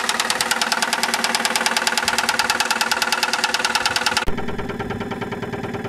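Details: 2001 Saturn SL2 at idle, stethoscope microphone, after being run very low on oil and sitting two months: sharp regular metallic knock about twice a second, loud and steady knock; oil pressure 35-40 psi.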